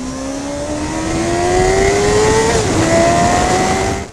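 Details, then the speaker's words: 2001 Kawasaki ZX6R J2 on a test ride after changing all spark plugs: clean rising engine note pulling hard with a crisp gear change, no misfire or stumble; bike running good. "Spark plugs are all changed and the bike's running good. I've just been out for a ride and given it a test run and I'm really happy."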